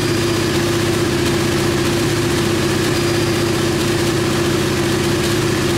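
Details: KTM Duke 125 single idling steadily at an even, smooth thrum with no misses, knocks or rattles, on the lift after starting. It came in hard-starting/not starting despite spark; the diagnostic scan found no faults. Healthy idle.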